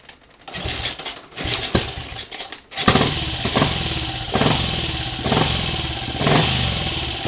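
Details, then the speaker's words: Triumph Sports Cub single-cylinder project bike, warm (run 10 minutes earlier), idling after wiring completion; carburetor untouched, now more inclined to tick over; wet-sumps overnight with brief startup smoke; crisp, even tick-over, steady exhaust beat, no knocks; mechanically sounds good. "Mechanically, it sounds good. Like I say, um I haven't been messing with the carburetor. It just seems to be uh more inclined to tick over."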